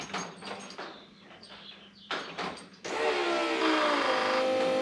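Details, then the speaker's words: Toyota 1UZ V8 sterndrive boat at key-on with the engine not running; a few clicks, then a steady electric buzz with a faint whir as the fuel pump and idle stepper motor prime normally. "fuel pump and a stepper motor guys"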